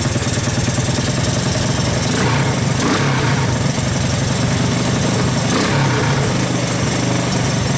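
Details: 1984 Honda ATC 200S single-cylinder ATV after long storage, started with starting fluid through the choke: loud, uneven beat wavering and surging; rough running, cause not yet known.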